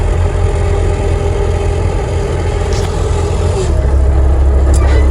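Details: Bobcat diesel pulling forward under load after fixing slipping hydraulic pump drive, Alaska off-grid homestead in extreme cold: deep steady drone swelling as it moves, no squeal or slipping; drive belt gripping properly.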